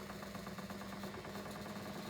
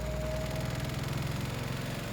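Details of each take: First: English Electric 2800 rpm spin dryer after an unbalanced load, where the drum rocked a lot, was rebalanced. Even, steady motor hum with a light, regular rhythm and no heavy thumping; the drum spins smoothly and in balance. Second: English Electric 2800 rpm spin dryer, new, after the clothes were rebalanced. A fast, steady buzzing rattle sits over the spin hum; the unit is vibrating against the cupboard beside it, not an internal fault.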